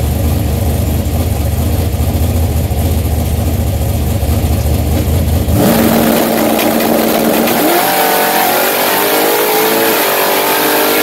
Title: High gear slip